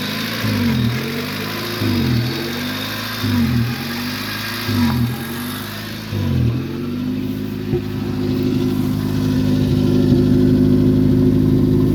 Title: 1994 Civic DX 1st start after fuel pump replacement + exhaust leak